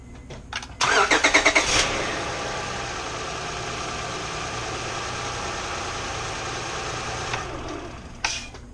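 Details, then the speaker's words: 2005 Honda Odyssey after timing belt replacement, brief test start with no coolant and serpentine belt off; quick crank catches cleanly and settles into a smooth, steady idle with no knocks or ticks: engine healthy. "Alright, that sounded pretty good. We're going to go ahead and proceed to put everything else back on."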